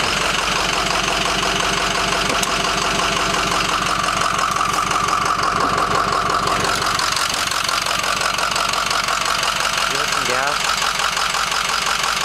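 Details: Ford F-250 diesel truck at idle: clattery idle with an uneven lope about twice a second and no steady rhythm; rough idle.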